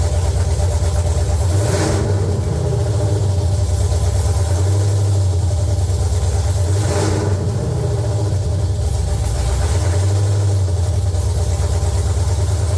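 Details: LQ9 V8 swapped into a BMW E36, second start after the build, no coolant yet: loud, deep, lumpy idle, steady open-exhaust rumble with a few gentle swells, running smooth and even.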